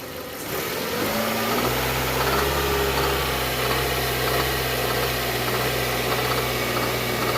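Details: Hyundai Tucson or i30 engine at steady idle with a rough, uneven background rattle riding over the engine hum; engine noise at idle, cause not pinned down.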